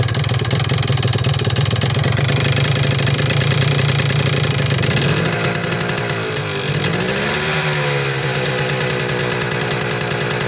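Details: 1979 Yamaha DT250 Enduro two-stroke at steady revs with an uneven rattling tick on top; revs sag then recover. It loses power around 30 mph in all gears, the throttle does nothing and it dies, despite a new plug, cleaned air filter and checked fuel filter. Knock suspected.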